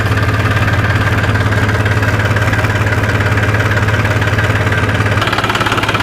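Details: New Holland TT45 tractor diesel that ran out of fuel and would not restart after refuelling, now running: smooth steady idle, a low chug of about three to four beats a second; normal diesel idle.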